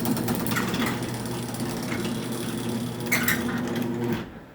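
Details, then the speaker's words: Raynor 270-7 garage door opener running on a mini door with a low motor hum and light chattering rattle; the chain drags because the opener is maxed out and the chain is nearly too long. "And yes, the chain does drag, and again, that's because it's maxed out and the chain's just on the verge of being too long."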